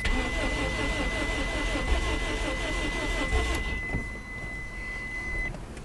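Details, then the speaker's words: 1993 Geo Storm with a blown head gasket after water pump failure, restart after Steel Seal treatment and a gallon of water: starter churns about four turns a second and the engine never catches; gasket likely too badly blown, blowing out water and pressurising the radiator. "well um I guess uh it was just blown too bad I guess there's some things that still seal can't fix yeah it's just blowing out so much water right there shouldn't be doing that"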